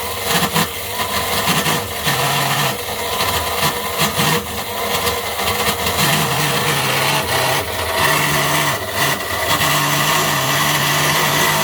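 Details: Sewing machine motor run on 400V: harsh, loud screaming run with steady hard whine and rattle, badly overspeeding on far too much voltage; later suffered mechanical bearing failure.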